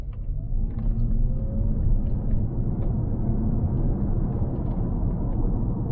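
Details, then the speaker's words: October 2006 Lexus GS450H, 3.5 V6 340HP hybrid with CVT, 156k miles, driving under hard acceleration: smooth, deep, even rumble with no droning or nasty transmission whine, unlike a Prius; the drivetrain sounds healthy, quick and refined. "assure you that cvt in this car it's not exactly the same as you would expect in uh toyota hours uh toyota prius uh or like smaller hybrids where this uh sound might be quite annoying whenever you're accelerating in this car you can't really feel it at all"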